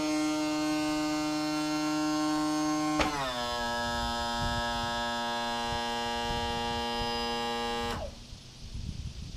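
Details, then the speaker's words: Newly replaced power tilt and trim motor on a 2014 Yamaha 250 SHO outboard on a 2000 Blazer 202 bass boat, run after bleeding air bubbles: steady whine dipping slightly in pitch under load, then a clean stop; healthy. "And then uh I'll run it up and down one more time to see what it sounds like."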